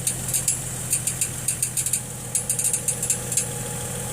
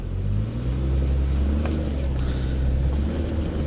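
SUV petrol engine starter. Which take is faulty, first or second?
first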